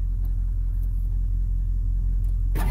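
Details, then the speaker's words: Ford van with 7.3 Power Stroke diesel, long-sitting: steady starter churn at five or six beats a second, never fires; oil pressure rises but injection control pressure only about 10 psi with regulator at 65%, suspected cause of no-start. "there the main oil pressure came up but the injection pressure it's only like 10 psi 65 percent on the ejection pressure regulator and we had rpms so with rpms our crank sensors should be adequate to start"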